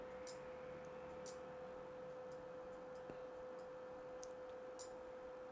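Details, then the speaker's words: PlayStation 2 disc drive after reset: disc does quarter-rotation spins, then faint irregular clicking over low hum as it fails to read disc and goes to browser menu; dirty laser lens suspected, cleaning lens as fix. "You can hear some clicking going on. And yeah, straight to that same menu before. Can't read a disc."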